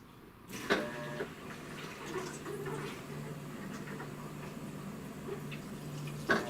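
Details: Maytag MVW6200KW 4.8 cu ft top-load washer, after fixing won't-start-out-of-box fault: low steady hum of inlet valve with water hissing into tub and soft clicks; filling normally.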